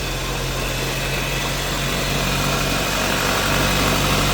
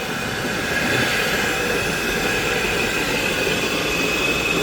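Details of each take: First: Mazda CX-5 with a diff whine above 40–60 km/h checked for rear differential versus coupling whine; here a steady, even drivetrain hum with no whine rising above it, so the front differential sounds normal. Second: Mazda CX-5 driving at 80 km/h: steady high whine over road roar, rising with throttle from 40–60 km/h up; rear differential leaking oil, whine from differential, coupling also suspected.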